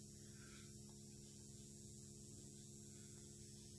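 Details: Xantrex XW 6048 hybrid inverter/charger under load test powering a 70 W bulb: faint, steady low hum with light buzz, no crackle or surging; transformer humming normally.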